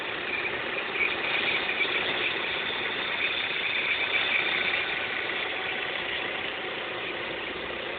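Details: Opel X20XEV engine idling with a constant thin, high-pitched hissy squeal above engine noise; strange noise, cause not identified.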